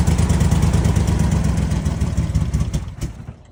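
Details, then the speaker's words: 2007 Dodge Nitro jump-started at auction: engine thumps unevenly with a sharp backfire pop, then dies away; starts reluctantly, runs rough and wants to cut off when put in gear; cause not determined. "Started up with a jump. You can hear it backfire."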